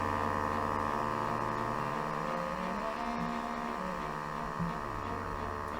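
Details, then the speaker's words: 1934 Philco Model 45 tube radio first power-up: constant low hum with wavering, changing tones instead of clean audio; old paper capacitors suspected. "so with all those paper caps in there it's no wonder it sounds like crap I'm sure one of these is causing that"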